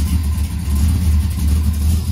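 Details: LS-swapped 1985 Camaro Z28 with 5-speed, first start after the swap, left to run its idle learning: V8 idle lumpy and uneven, pulses stumbling instead of settling into a steady beat; rough running, cause not confirmed.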